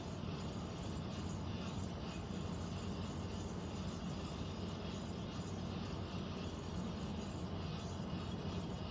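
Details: Central air conditioner air handler, heard in a bedroom and seeming to come from above the closet, gives a continuous low rumbling drone with a steady hum and no pitch change; unusually noisy, cause unclear, possible leak questioned.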